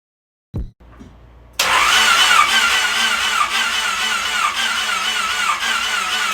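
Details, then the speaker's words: Honda Civic freshly rebuilt D16Y8 engine after install, ECU fuse removed so no fuel fires: starter spins it at a steady, slightly sluggish rhythm with no firing, cranking to build oil pressure before first start. Normal cranking without start. "So before I actually start it over, I'm gonna take the ECU fuse out and turn it over a good amount of times. That way we can build up some oil pressure in it."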